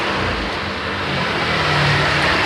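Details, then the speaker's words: Honda Click 125i scooter, hard starting: buzzy single-cylinder note stays flat and barely climbs as throttle opens; won't accelerate, worked on by cleaning and resetting the ECU; hesitation on acceleration. "เดี๋ยวเร่งจะเร่งไม่ขึ้นนะครับสตาร์ทยากเร่งไม่ขึ้นครับอ่าก็เลยไม่ขึ้นนะครับ"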